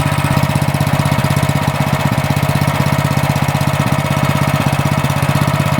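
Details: Cub Cadet snowblower small single-cylinder engine after a new carburetor fitted for only-runs-on-choke, turned down to low idle: steady, even low thump about four beats a second with no misses or rattles, healthy.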